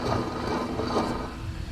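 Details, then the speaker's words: Volvo truck steer axle, Hendrickson sealed hub turned by hand: rough, gritty rumble from a worn-out wheel bearing; driver reported front-end shaking and tire wear. "so we got a dry this is a sealed hub steer axle you can hear the bearing it's uh worn out already"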